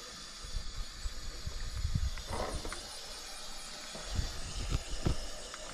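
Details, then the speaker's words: Car cooling system under pressure after hoses reconnected: airy hiss with gurgling spurts and bubbling; cracked, leaking heater core. "coś to za dużo syczy aż tak mocno leci o nagrzewnica"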